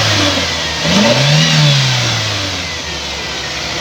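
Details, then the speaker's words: 1998 Toyota Indus Corolla engine revved after the tappet cover was opened during a noise check: climbs smoothly and settles back evenly with no knock or tapping; the earlier noise is gone. Normal revving. "Start करो दोस्तो माशाल्लाह से गाड़ी हमारी start है आप लोग देख सकते हैं रनिंग की कंडीशन के अंदर है और यह मैं रेस भी आप लोगों को देके"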